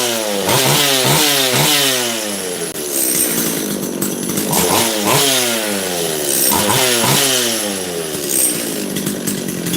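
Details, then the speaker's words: Makita DCS540 chainsaw after giving the carburettor high jet half a turn more and setting the low jet slightly rich of middle: crisp revs climb cleanly to full speed and drop to steady idle without bogging; runs normally. "I gave this thing a half a turn more high jet and suddenly it started running."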